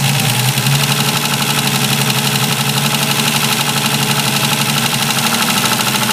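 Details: Ford Capri 2.8i engine running: harsh gritty grinding over the engine ticking with a rapid pulse near four per second; source not pinned down.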